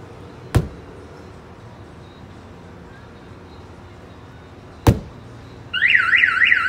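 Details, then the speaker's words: Chevrolet Silverado (2003 or 2013) with a newly installed Viper 5706V alarm, locked and armed: two hard thumps on the body, then a warbling siren as the shock sensor, set not too sensitive, triggers the alarm. "the other way is if it's locked and somebody wants to hit this hard enough let me see if we can get it to uh go off"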